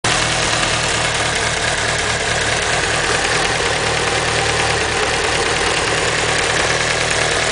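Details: Evo engine at idle: loud, steady idle with a fast, loose ticking mixed into the clatter; owner suspects lifter tick, unconfirmed.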